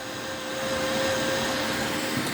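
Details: HP EliteDesk 800 G2 SFF power supply tested on the bench with its power-on wires jumped, reading 11–12 V: constant airy whoosh with a fixed mid-pitched hum and no rattle. The supply fan is running at full speed and sounds normal.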